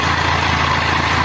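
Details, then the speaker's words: 160cc motorcycle after repair of an engine noise: the small single-cylinder idles with a smooth, steady beat and the noise is completely gone. The bike was leaking oil everywhere and the oil is being topped up. "Cadê o barulho sumiu tudo sem barulho nenhum sem barulho nenhum tá vendo aí"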